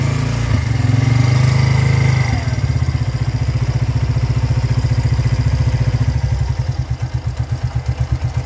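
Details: Motorcycle engine after tensioner replacement, previously loud at startup like valves or timing chain; now drops from brief rev to steady even idle thump with no ticking or rattle.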